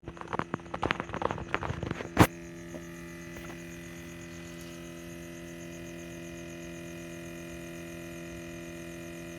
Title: scion TC buzzing/rumbling sound coming from rear section of car while it's off